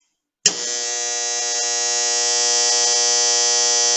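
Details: Electrical contactor buzzing: a loud, harsh, steady buzz for about four seconds that starts and stops abruptly, typical of a core not seating flat and chattering on the coil.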